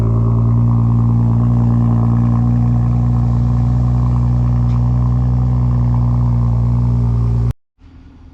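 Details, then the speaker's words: BMW F30 335i N55, stage 1 tune, after new NGK spark plugs gapped to 0.028: smooth, even idle with a steady low rumble and no stumbles or skips until shut-off; misfire gone, normal idle. "not hearing any more misfires, so it's time to put this car back together and go take it on a test drive just to make sure everything is okay."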